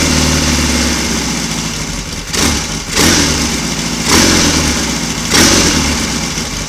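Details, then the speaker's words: Royal Enfield Constellation twin, cold-started the morning after first two-cylinder run, both cylinders on one carburettor (jetting still needs attention), slightly sticky throttle cable; even idle with four clean throttle blips settling smoothly; running healthily on both cylinders. "although we seem to be running very nicely on two from the one carburetor"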